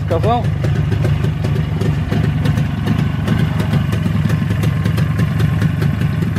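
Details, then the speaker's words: Freshly rebuilt Jawa/ČZ 360 two-stroke twin: a steady, even burble with no misses or knocks, both cylinders pulling together; owner calls the carburetor very good and synchronization good. Normal running. "жок работает просто красота ну просто красота готовим карбюратор очень хороший но очень хороший карбюратор"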